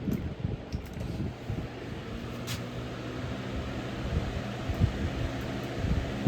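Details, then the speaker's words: Early 2000s Holmes HABF-25 box fan after restoration and bent motor mounts pushed back, on medium: steady hum with an irregular low buzzing rattle behind the airflow; motor rattling from vibration, not bearings, cause unknown. "Yeah, that noise in the back, that's the motor rattling. I don't know why that's rattling. It's not the bearings or anything, it's just the vibration."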